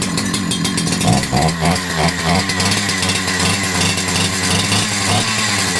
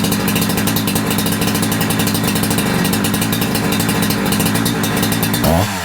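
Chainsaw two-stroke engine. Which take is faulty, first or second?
first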